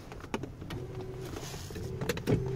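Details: 2001 Cadillac Eldorado ESC, 31,000 miles, passenger power seat: smooth electric motor hum at even pitch, stops, restarts cleanly; normal power seat motor operation.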